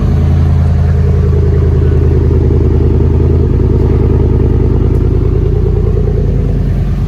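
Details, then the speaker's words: Ford 4.6 V8 truck, just back after months at a shop and jump-started on a dead battery: heavy, lumpy, stumbling idle that wavers, running really bad. Cause still unknown; it later cut out and would not restart, with a no-oil-pressure warning. "I'm gonna show you guys how it's running, because it is running really bad right now."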